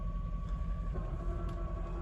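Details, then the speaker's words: Mercedes E420 V8 manual, parked after a drive with heat off: low steady rumble with thin constant whir from transmission and clutch, a long-standing noisy gearbox with little insulation; normal, lifter tick no longer heard. "That noise that you hear now, it's just the trans and the clutch. It's been like that, like I said. It's just a noisy gearbox and not much insulation between us and it."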